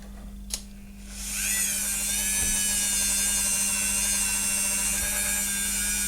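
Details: Dremel rotary tool, about 12 years old, that would not start, after replacing two capacitors and a 24 kΩ resistor, run on a power supply with cover unscrewed; spins up to a steady, even high whir, running normally.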